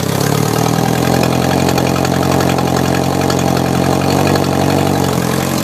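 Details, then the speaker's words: Atomic 4 marine gas engine from a 1972 Cal 29, 1000 hours, 110 compression on all cylinders, 40 psi oil pressure at idle, run on a cold January day with a little choke: steady, smooth idle, valves running smooth, no lower-end or bearing noise. "You can hear by the engine exhaust that the valves are all working rather smooth. You can listen to the lower end of this engine."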